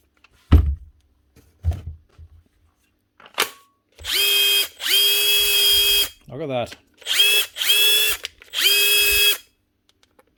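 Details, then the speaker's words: Makita DTD154 brushless impact driver after repair, with a new front gearcase replacing one whose built-in needle bearing failed: short bursts with a clean, steady whine and even hammering, no grinding. It is now running normally. "that nice one nice one that's her one Makita DTD 154 brushless impactor with a new front gear casing"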